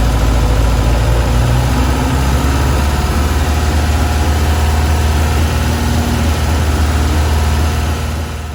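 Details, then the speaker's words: Tiger Cat E1, first start in ten years after carb cleaning, balancing and idle mixture screw adjustment: steady, even low throb about four beats a second, idle speed changing with mixture screws; running cleanly. "You can hear the effect of adjusting the mixture screws has on the RPM."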